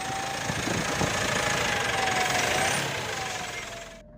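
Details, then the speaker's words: 2017 Mitsubishi Pajero Sport diesel, 104,000 km, stationary: thin high whistle over the diesel sliding down in pitch as revs fall; damaged turbo compressor fins. "Ya, turbonya kisi-kisinya rusak teman-teman."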